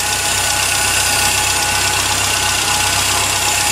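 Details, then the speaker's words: Triumph, after winter storage: idling on light choke while warming up, running nicely outdoors. A steady, even, fast regular beat with light hiss, smooth and settled; a normal idle. "so we've just got her uh on light choke and we just got her warming up so again looks like she's survived her storage"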